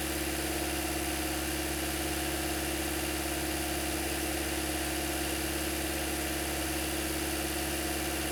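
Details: 2008-2013 Toyota Corolla after radiator and coolant connector replacement, warm at about 203-205°F with cooling fans cycling: steady, even idle with smooth low hum and fan whirring, no knocks or misses; healthy.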